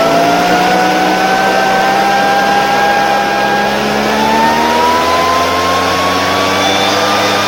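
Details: Two-stroke fertilizer spreader/blower that would not start, after a carburetor repair with a new diaphragm replacing the hardened one. It runs smoothly and steadily, with pitch climbing evenly as revs rise and no misses: healthy.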